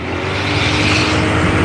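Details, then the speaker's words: Old Honda Beat scooter, test ride at about 40 km/h: engine climbs cleanly under throttle with no stutter, misfire or delay; normal acceleration, though mechanic worries about the reused connecting rod. "Oke ini gasnya Langsung ngisi ya tidak ada nyendat-nyendat tidak ada brebet tidak ada delay"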